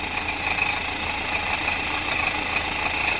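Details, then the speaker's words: Customer car at idle, mechanic suspects timing chain: loose, uneven metallic clatter over the engine note that doesn't settle, the chain bouncing around inside and making the noise. "that's the chain bouncing around in there making all that noise. Sounds pretty cool, eh?"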